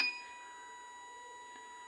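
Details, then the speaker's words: Small DC motor/fan driven by Arduino PWM through TIP122 transistor at 5% duty cycle: thin steady high-pitched singing tone with no spin-up; motor energized but not enough current to start. "you can hear a sound that the motor is on but there is not enough current to start the motor"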